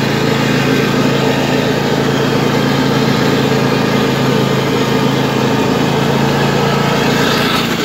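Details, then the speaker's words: 2007 Husqvarna YTH2454 lawn tractor, just washed: a steady small-engine drone with a rough, gritty rattle at idle from a drive clutch noisier than it should be. "you guys hear that that is the drive clutch it's not supposed to make all that noise either"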